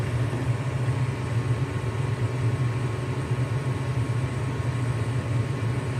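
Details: Lennox furnace inspected on a loud-noise call, running: a steady low hum with a smooth, even rumble and no knocks or rattles; the fan motor sounds good. Normal furnace operation.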